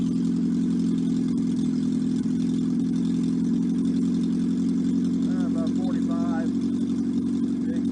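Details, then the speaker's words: 1954 MG TF four-cylinder, removed from the car and run on a stand with no muffler or coolant. It runs loud, steady and even at fast idle with no knocks or misses. Oil pressure is 50 psi at start, compression 162/157/157/156, and no rebuild is needed. "i'm going to run it for you for a few minutes let you hear it run does not have an exhaust muffler so it's a little loud"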